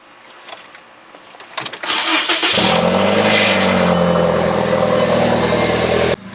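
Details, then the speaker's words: VW Jetta, morning start after an exhaust leak was sealed with exhaust putty: quick crank, then a steady, even run with no ticking or puffing under a light rev; the leak is fixed. "right guys so when i do a light rev you don't hear that kind of leak sound right here so here i'll show you guys [Music] it sounds like it's nicely sealed up"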